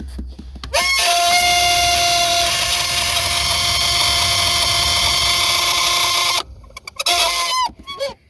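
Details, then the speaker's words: WS6 Trans Am blower motor just reinstalled after heater core removal; spins up to a steady high whine with a buzzy edge, then winds down; noisy only once installed, ran fine out of the car, cause unclear. "Well, I ran it before I put it in and it did not make that noise. So, it's kind of weird."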